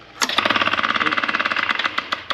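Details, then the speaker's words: Noisy B&G hot-water boiler circulator pump switched on: harsh fast metallic rattle, about fourteen clacks a second, from a broken coupler; coupler and motor mounts replaced. "Turn that off. I got a busted coupler."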